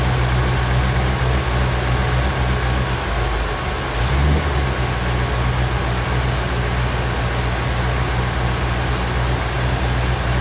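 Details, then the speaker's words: 1957 Chevrolet Bel Air carbureted V8 after carburetor replacement, bowls filled with no leaks: steady, smooth, even idle with no misses or knocks while the throttle stop is set for idle RPM. Normal idle. "okay what you're going to see Dad do is adjust the throttle stop just a little bit here just a little bit more okay basically that is just giving you a throttle stop to give it enough for the engine to idle at a specific RPM for you"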